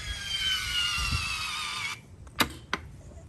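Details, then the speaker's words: Polaris RZR UTV with a newly fitted OX Off-Road electronic sway bar, switch wired to the accessory lead. When the switch is flipped, a high actuator-motor whine holds about two seconds, then sharp clicks as the bar locks back into place: normal actuator locking. "that's it and it locks back into uh place um pretty simple"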